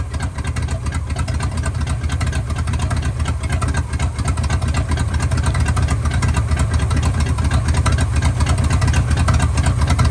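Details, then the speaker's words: 1974 Chevy C20 Custom Deluxe V8, first start after sitting 5 years in a scrap yard: loud deep idle with uneven stumbling beat and puffing exhaust note; misfire plus exhaust leak, owner suspects spark plugs. "you hear how smooth it is except for that exhaust leak I mean this sucker is is running pretty good we got a Miss somewhere"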